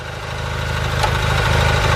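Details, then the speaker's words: 4WD Gravely tractor after replacing the seized rear transmission's forward/reverse drive planetaries and refilling oil, PTO engaged: steady, even engine beat under light load, no knocking, grinding or clunks; everything moving as it should. "engage the PTO and everything's moving like it should be"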